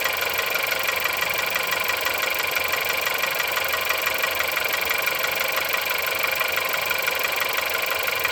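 Cold-start idle with a fast, sharp metallic ticking riding over the engine, about three per second and fairly regular; knock from inside.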